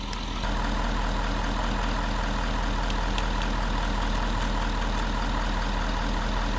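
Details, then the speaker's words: 1960 Bombi tank after distributor rotated 180 degrees and ATF left in cylinders, jumped from a truck at 12 volts; laboured slow cranking that never catches; starter suspected to be 6-volt and possibly burnt out by 12 volts; slow cranking. "it should crank like a a lot she's not cause that could be like a six a six volts starter and we ran out a whole bunch of 12 through it could have just burnt it out"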